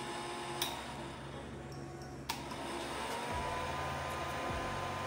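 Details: Oster hair dryer that would not turn on, after splicing a shorted power cord: quiet at first, then the fan motor spins up into a smooth, steady whir with no crackle; runs normally.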